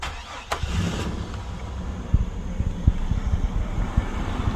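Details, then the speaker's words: 1999 Chevy Astro AWD, 4.3 V6 with 4L60E, first start after coolant flush, new aluminum radiator, hoses, thermostat and secondary trans cooler: short crank, catches at once, settles to smooth even rumble, no squeal or drips; healthy start. "sounds fine everything looks good sounds smooth"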